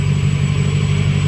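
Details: Lexus LS400 1UZ-FE V8 after intake manifold gasket and injector seal replacement, with no leaks now: smooth, even idle with a steady low rumble and no ticking, hissing or misses; normal idle.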